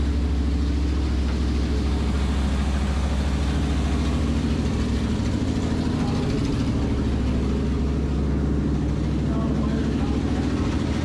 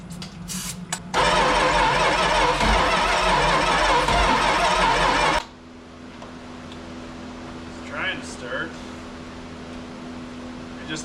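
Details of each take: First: 1973 Dodge Dart, 340 V8 with 727 transmission, sat in a garage for years, revived the same day: deep, even rumble holding steady with no misses, knocks or hunting, running smooth and healthy. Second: 1973 Dodge Dart 340 V8, sat for years, starting fluid in carburetor: sluggish, uneven crank barely over one turn a second, popping once or twice but never catching; slow cranking blamed on the original positive battery cable to the starter, being replaced.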